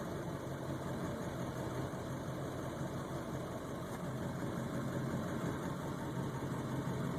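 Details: Ford 7.3 Powerstroke diesel idling higher than normal and rough, surging in gear; a new fuel filter and additive helped only two days. High, lumpy idle that never settles; owner suspects a bad ICP sensor or FPR.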